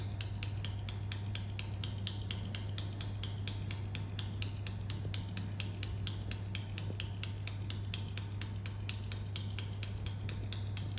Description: While waiting for a train at Doncaster railway station I heard this odd clicking sound Like its tutting coming from a train.